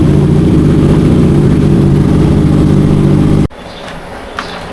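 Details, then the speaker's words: Honda CB650F converted to CBR650F fairing, customer reports stumbling while riding: deep, uneven, lumpy idle right after start; cylinder 4 not firing, spark plug or ignition coil to be checked. "ตอนสตาร์ทแล้วเดินเบ่าจริงไว้นะครับสูบที่มีปัญหาก็คือสูบที่4นะครับไม่มีการระเบิดนะสูตรที่4นะ"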